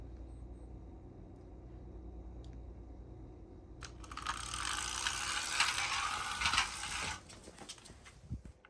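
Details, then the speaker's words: Old toy RC car on old batteries running at top (second) speed, fast uneven ratchet-like clicking clatter; owner suspects split gear on motor shaft and maybe on wheels; gear clicking. "There's a split gear on the motor shaft and there's maybe a split gear on the wheels. You can already hear that clicking sound."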